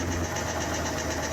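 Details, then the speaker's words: Cadillac Escalade V8, under five years old, idling: rapid metallic clanking, rattle and knock over the engine run. Motor knocking; source not pinned down. "That thing ain't even old enough to be sounding that all that clanking and rattling, knocking, the motor knocking."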